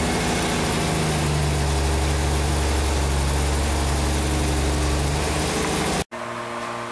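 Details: 47-year-old Porsche 914 with early fuel injection, after no-start diagnosis with cylinder head temperature sensor connected and working: steady, even idle, smooth low drone, no misses or knocks; normal idle.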